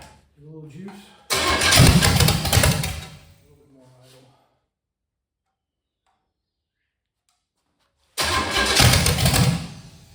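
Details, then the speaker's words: 1985 Chevy Camaro 400/406 small-block V8, first start in over 20 years after reseal, plug wires rotated: two short rowdy bursts, catching and running loud and choppy with silence between; healthy lopey big-cam motor that runs, timing still to be dialed in. "Look at that. She's a runner."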